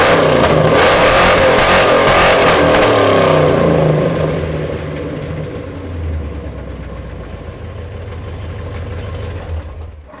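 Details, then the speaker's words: Second-gen diesel pickup with long-tube headers: loud raspy blare revving hard to the rev limiter, then gruff idle; rotted, cracked headers causing a big exhaust leak. "as you guys can hear the exhaust on this truck is well it's less of an exhaust and more of just a big exhaust leak let me shut her down so you can hear me so her headers are rotted out the crack they've been on there for a long time"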